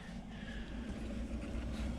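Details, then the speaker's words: Chinese diesel heater after strip-down, carbon cleaning and rebuild, test fired at the 80% setting. The fan blows air through the burn and top chambers, with some leaking from a hole, while the glow plug warms before fuel injection. Steady low whooshing rumble: normal purge. "So right now what's happening is the heater is blowing air through both the burn chamber and the top chamber, which some of the air is leaking out of that hole. The glow plug is slowly warming up."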